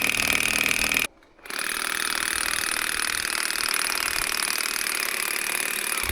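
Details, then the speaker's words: Old Makita DUN461 pole hedge trimmer after reassembling blade head; coarse uneven rackety buzzing clatter that briefly cuts out, no steady pull; still no torque, cutting about the same as before, cause unconfirmed. "Well, it's still fucked. It's just got no torque in it at all."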